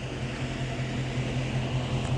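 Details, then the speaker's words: 6.4 being checked for overheating: a steady low whooshing hum with a soft pulsing drone underneath and no knocks, the radiator cooling fan running normally. "We're about to check his car out for overheating. Yeah, I hear the fan running right now,"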